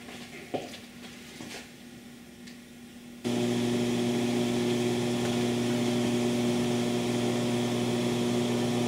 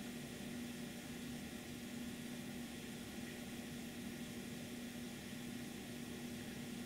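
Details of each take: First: MC phono stage set at 76 dB gain on a basic entry-level power supply, no capacitor pack fitted; loud steady low 120 Hz hum with hiss behind it, power-supply ripple getting into the phono stage. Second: Residual noise of the phono stage, before any SP capacitor pack is fitted: steady, even hiss with a faint low hum underneath and no crackle; normal hiss with some hum.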